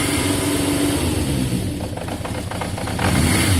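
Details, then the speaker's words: Yamaha XJ550 after carb cleaner, warming up with choke coming off: steady multi-cylinder burble that firms up and revs strongly and cleanly, a touch smoky from the cleaner burning off; idle slightly low. "It's revving very strong. Woo! Touch smoky, guys, but remember I've just put cleaner through the carb, so that's going to be working its way out."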